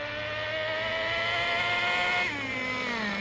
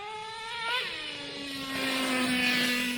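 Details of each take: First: Traxxas T-Maxx 2.5 nitro RC engine with new Losi 3.4 carburetor at factory needle settings, full throttle: screaming note sagging and climbing unevenly, never clearing; ridiculously rich mixture. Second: Traxxas T-Maxx 2.5 nitro RC engine with Losi 3.4 carburetor, primed: high buzzing idle settles from a blip to a lower fairly steady note; idle decent, not perfect, but better than with the slot carburetors, more bottom end.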